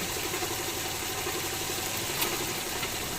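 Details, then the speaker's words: Toyota AE110 A/C compressor running after all three belts (alternator, A/C, power steering) replaced and the original compressor rebuilt (new bearing, clutch plate resurfaced): smooth, even whir, no rattle, grind or clutch chatter; quiet, normal operation. "ทำงานเงียบเงียบปกติทุกอย่างครับ"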